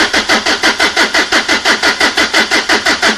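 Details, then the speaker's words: 2003 Renault Laguna 1.9 dCi diesel non-starter, no fault codes, fuel rail pressure sensor signal not rising: steady sluggish cranking about three turns a second, never starts; slow cranking, battery to be recharged. "okay well that should have gone dwell over a volt um although we are a little bit slow on the on the cranking speed so what I might do next I might put some uh charge back into the battery and try that test again"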